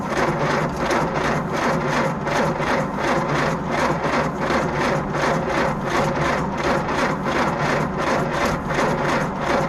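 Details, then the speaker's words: 1952 Willys Overland 4x4 truck cranking on its first start after the engine was reinstalled, with a new Carter WO carburetor, new flywheel ring gear, starter drive gear and ignition parts. The fuel system is dry, so the pump takes a few seconds to pull fuel from the rear tank. Cranking is steady and even, with no grinding: normal. "turn the ignition on and crank it over and it's going to take a few seconds for the fuel pump to pull fuel from the uh rear of the vehicle where the gas tank is so it's not going to take very long but it will take a few seconds of cranking before anything"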